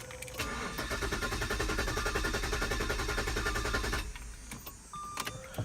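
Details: Jaguar S-Type after new spark plugs and crankshaft sensor: the starter cranks steadily, about three and a half turns a second, for several seconds, but the engine never fires. It repeatedly runs briefly then dies; cause unknown.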